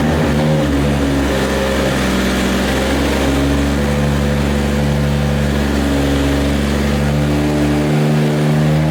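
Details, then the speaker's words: Rebuilt 2JZ six-cylinder in Nissan S14 240SX, first start after fixing missing crank trigger tooth no-start; compression change, tune on: deep even burble at steady idle, no misfire, ticking or knocking; oil pressure good, normal idle. "so all right so we got the motor started everything's good oil pressure is good obviously it's idling very well"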